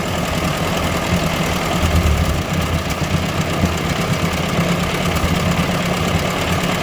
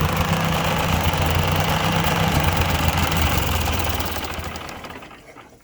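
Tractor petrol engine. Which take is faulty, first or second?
second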